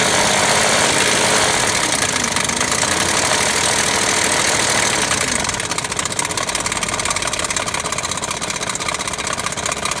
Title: BMW timing chain rattle. #bmw #740i #740il #4.4 liter